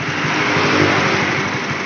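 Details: Honda CB150R single-cylinder engine that won't hold full throttle, still unchanged after a part was removed: held at high revs, it roars steadily without climbing. It bogs at wide-open throttle; an air intake or throttle position sensor is suspected, unconfirmed.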